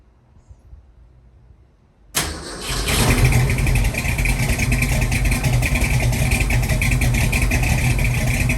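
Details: 1966 Mustang with freshly rebuilt Ford 289-based 331 stroker V8 (hydraulic roller cam), startup during first tune-up attempt: cranks, catches at once and settles into deep, steady, lopey idle, no knocks or misses; normal startup and idle.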